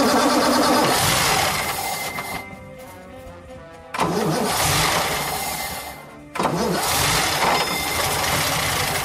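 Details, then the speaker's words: 1930 supercharged twin-cam vintage racing car being started with an added aviation-type fuel pump, flooded with fuel as old sports cars require; engine catches and runs in strong bursts with throttle blips, music in background; normal cold start. "Comme toutes les voitures de sport anciennes, il faut les noyer pour les démarrer."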